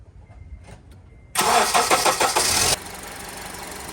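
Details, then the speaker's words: 2003–2011 Honda Element after spark plug replacement: quick crank catches cleanly, then settles into a smooth, steady idle with no misfire or ticking; engine sounds healthy. "the engine sounds great guys that's how you replace your spark plugs"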